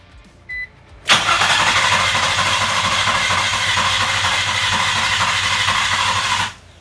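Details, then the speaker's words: Nissan G35 drift car after a swap to a refreshed JDM VQ35 engine with new gaskets and seals; the starter had just been plugged in. The fuel pump primes, then the starter cranks steadily for about five seconds without firing. Crank, no start; the crew suspects no spark. "I'm waiting for the fuel pump to stop there it goes try again yeah okay like it's not getting spark"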